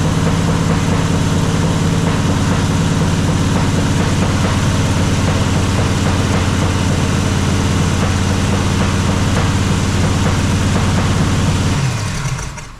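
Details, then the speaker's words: Jeep XJ with swapped 350 V8, first startup, distributor loose: a rough, uneven low idle with a lumpy beat. Only some cylinders fire; number one is dead, numbers 5 and 3 work, and only the cylinders with compression run right. "It's definitely running on only a couple of the cylinders. Looks like number one's not firing. Number 5, number 3 is working. You know, so basically the ones with compression are working right, are working just fine."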